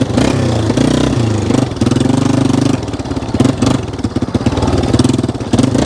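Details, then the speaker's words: 1995 Yamaha Wolverine 350 single-cylinder, in for no-start after a backfire: uneven choppy thumping and surging at steady mid/half throttle, sounding rich; idle and high revs fine; too much fuel suspected, plan to drop carb needle one notch. "when you're like mid throttle half throttle it's definitely putting too much gas into the system yeah that's steady throttle right there"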